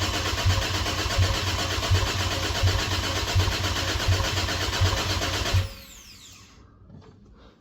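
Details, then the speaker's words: Cadillac ATS-V engine swapped into a 2013 ATS 2.0T, first crank after the swap to build oil pressure: even cranking about eighty compression beats a minute for several seconds, never catches. Crank no start, no fuel pressure, no fuel getting in. "no fuel pressure pressure for some reason got to figure out what's going on there it doesn't sound like I got any fuel going into this thing but it's cranking"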